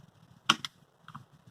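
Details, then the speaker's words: Rheem furnace giving no heat (house at 64°F), thermostat switched off and back on: two crisp clicks, then a softer pair, which is the thermostat relay clicking normally and signalling the furnace to turn on. "I can hear the relay clicking inside the thermostat, so it is sending signal to the furnace to turn on."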